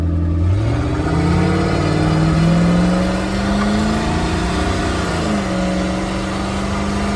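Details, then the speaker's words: Turbocharged big-block 440 with 82mm turbo in a 1977 Winnebago Chieftain motorhome, freshly tuned, under wide-open-throttle acceleration; pulls hard with rising growl and turbo rush building; healthy strong spool. "Oh yeah. Hear the turbo."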